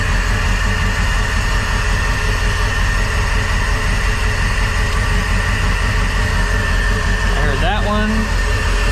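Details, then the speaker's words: Crusader 8.1 Captain's Choice marine V8 with new long block, running rough and not reaching rpm: loud idle with uneven, lumpy beat and a missing pulse each cycle; full dead cylinder, from an injector issue, not fuel pressure regulator. "oh yeah that's running rough it is like a full-on dead hole here let's take a look"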